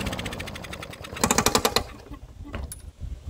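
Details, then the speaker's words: Old Murray mower that won't run, during pull-starting with a dirty carburetor: a quick run of sharp metallic clacks, about ten a second, as the spinning blade strikes the bent mower deck; the engine does not start. "okay it's making a weird noise but it didn't start up which which is good other than the noise it made with the blade hitting it sounded just fine"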